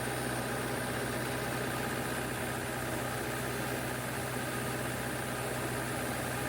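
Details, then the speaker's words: 16 kW diesel generator after a self-done valve job, head gasket still to fix, just started, about to take a 6 kW load: steady drone with a loose uneven beat, about three a second. Owner suspects a misfire, possibly the third cylinder, unconfirmed. "it sounds like it's a little it's hitting a little weird but got a misfire but we'll see"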